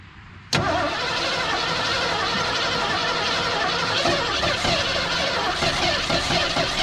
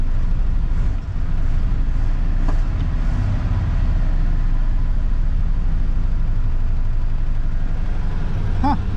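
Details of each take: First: Seized old Ford engine, freshly unstuck after soaking cylinders three days in two-stroke gas and PB Blaster, first run on new battery: abrupt start settling into ragged, uneven idle with stumbles and misses; rough running, cause not pinned down. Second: 1983 Ford F-150 XLT, 5.0 with overdrive, freed-up after being seized, running about three minutes with choke on at fast idle; steady even low rumble, no knocks or misses, oil pressure holding, charging, power steering working; normal fast idle.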